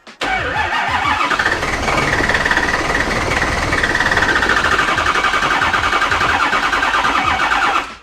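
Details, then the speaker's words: 2016 Ford F350 6.7 Powerstroke diesel on first start after detailing, snowy weather; short crank then harsh, uneven clatter with wavering tone, check engine light on, no oil pressure shown; rough start, cause not yet scanned. "Sounds mad. Definitely sounds mad."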